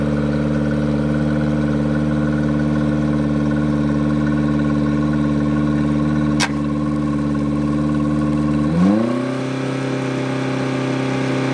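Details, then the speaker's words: Yamaha 90hp four-stroke outboard just swapped onto an 18ft G3 boat in place of a 60hp two-stroke, first start. Runs fast and high-pitched in neutral for several seconds, then drops sharply to a low idle; the misadjusted throttle linkage was holding it open. "well the good news for today is we got the motor swapped all the electrical everything was plug and play the motor started up we had to actually adjust the linkage"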